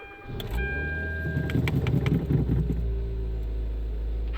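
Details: Kia Soul first start after an engine replacement, manual in neutral with the clutch in. Fuel was drained, so brief uneven cranking while the high-pressure pump primes, then it catches to a steady low idle; smoke from WD-40.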